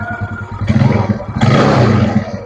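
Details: Older carburetted Yamaha Mio, after repair for lack of power and a rough engine, with a machined pulley and a replacement racing carburetor: it fires, settles into an even, low thrum and revs cleanly. Normal start and idle.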